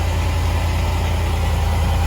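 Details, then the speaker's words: Range Rover Sport L320 with the engine idling after replacing the Dunlop air suspension compressor cap (fault C1A20-64, normal height only). There is a steady low rumble with the compressor running quietly, no rattles, and normal operation. "And I can hear how it's working, but it's nice and quiet."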